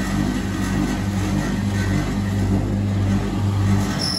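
Steady low hum holding an even pitch with no knocks or scraping; the spin dryer is running smoothly at speed.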